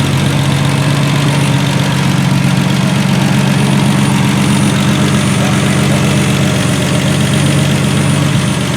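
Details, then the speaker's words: 1976 Triumph TR6 six-cylinder idling smoothly with a steady low rumble, no misses or knocks, left to run out of fuel after its start; engine runs really well, normal idle. "that engine runs really well"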